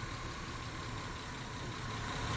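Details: 2000 Honda Accord 3.0 V6 idling rough with random misfire codes on cylinders one, three and five: uneven low thump; scope testing showed failing ignition coils, worst on five, three also going.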